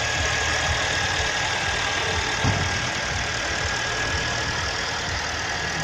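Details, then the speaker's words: Freshly overhauled engine just after its first start, oil pressure light out: a steady, even idle with a light regular ticking and no heavy knock or misfire, running normally while gaskets and joints burn in. "Вот он, двигатель запустился с первого раза. Давление потухло. Мотор работает."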